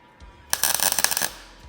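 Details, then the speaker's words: MIG welder on argon/CO2 mix set at 110, tacking flush butt joint on sheet metal, possibly via sketchy extension cord: short sputtering crackle of rapid pops, cold stuttering tack. Heat set too low. "that are flush I can tell only need a little some more heat hopefully I've only got it set on 110"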